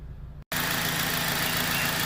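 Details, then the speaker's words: 2004 Honda Civic 2.0 at 240,000 km, warm after 3–4 minutes running, idling at about 1,000 rpm: smooth, even soft hum with no ticking, knocking or hunting; healthy engine, recorded as a reference. "เสียงเครื่องยนต์นะครับเดินที่พันรอบดูครับท่านใดที่ขับรุ่นนี้อยู่จะได้เปรียบเทียบเสียงเครื่องยนต์ของท่านได้นะครับ"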